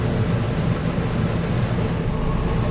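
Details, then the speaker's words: Onan 4000 RV generator, after a starter problem owner suspects was a loose wire, running with the air conditioner on cool as load: steady, even low drone with no knocks, surging or hunting. Running healthy under load. "there's the load too see how she sounds like she's doing all [Music] right"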